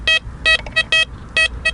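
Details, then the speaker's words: Blisstool v3 metal detector on a ploughed field with a coin placed on top of the noisy iron spot: crisp, clean high beeps with no crackle, a solid non-ferrous target with the iron masked out. "Look how clean that is."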